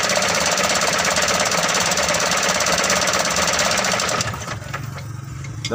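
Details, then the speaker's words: Mitsubishi Canter 125 diesel, hard starting, injection pump being adjusted: loud uneven clatter for about four seconds then stalls, won't hold idle; mis-set injection pump. "mobil tidak mau lagi langsam langsung mati kita akan mencobanya untuk menyetelnya terlebih dahulu"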